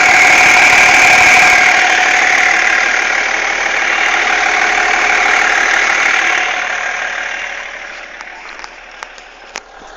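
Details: BMW E46 330d diesel at idle with a hissing whine and faint rapid tap from behind the power steering pump; cause not yet found.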